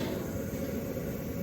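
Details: Webasto Airtop 2000 air heater newly fitted in a Citroen Ami: quiet steady low hum from blower and burner, no surging or rattles, with heat coming out. Normal running.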